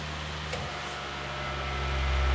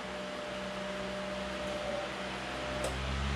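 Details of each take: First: Fan motor (AC induction) running on a CyberPower consumer UPS's stepped-sine battery output: low steady hum swells louder as the fan slows; plugged back into wall power, the humming dies and the fan speeds up. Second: AC induction fan motor on the CyberPower UPS output after the wall outlet was unplugged and reconnected: humming died almost instantly and fan picked up, even whoosh with faint low hum, running smoothly at full speed; normal fan operation.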